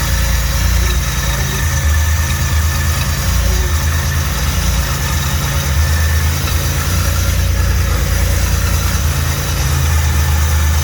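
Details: Built 3800 V6 on first start after rebuild, primed, with new oil, filter and coolant; deep, steady idle with an even low rumble and no knocks, misses or ticking; healthy.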